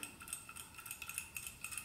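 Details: MSR DragonFly white gas stove, jet just cleaned and reinstalled during servicing, checked by shaking: faint, uneven light metallic ticks as the shaker needle slides freely in the jet, working as it should. Normal.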